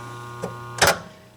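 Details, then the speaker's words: Pinball relay after the fix: armature seated and back screw tightened. Two crisp clicks as it pulls in and drops out, with only a faint steady hum between, then quiet. The relay is working properly; some hum is normal. "okay can barely hear it that's the way it should be I mean you're going to hear some some hum"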